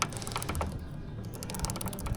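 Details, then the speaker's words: Suzuki GSX-S150 motorcycle, ridden in muddy rainy weather, chain guard, shifter and sprocket cover removed: scattered, unevenly spaced sharp clicks from the front sprocket as it turns, caused by packed grime; to be cleaned with chain cleaner. "So kung mapapansin niyo nasa front sprocket yung ingay. So again 'yun ay dahil madumi 'yan."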